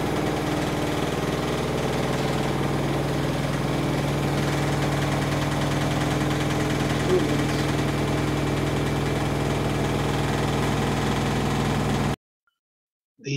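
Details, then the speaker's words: Samsung WW10N645RBW washing machine, first use after installation, leg adjusted to level it: smooth steady hum with light regular pulse about four per second, then stops; rated 73 dB spinning, slightly above conversation level; normal spin. "wall says that when spinning like this the sound level is 73 decibels which is a slightly above conversation level"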